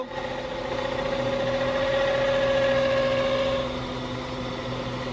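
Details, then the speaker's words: 2012 Honda CR-V: intermittent steady mid-pitched whine from under the car over the running engine, sounds like transmission but owner says it is not; vibration felt by hand; cause suspected, not confirmed. "un sonido que tiene el caso que a veces suele a veces no en el 2012 onda"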